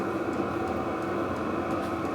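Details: Brand-new Vevor 12V 8kW diesel air heater running once fuel reached the pump: steady airy roar with faint light fuel-pump ticks, output around 165°; normal running.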